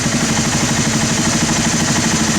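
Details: Honda TRX300 ATV single-cylinder engine after carb cleaning (sat 5 years), mixture screw tuned to the fastest idle: quick, even idle with steady firing pulses, no stumble or hunting.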